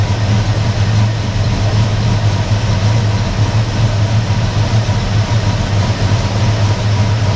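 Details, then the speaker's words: Engine rough idle after a rotor change: low, uneven idle with irregular lope and slight stumble; not a MAF car, relies on vacuum, seems to run super rich yet sounds like a misfire; open vacuum lines later found, cause unconfirmed. "it relies on vacuum for its table and it's just running super rich but then why would it seem like it's a misfire"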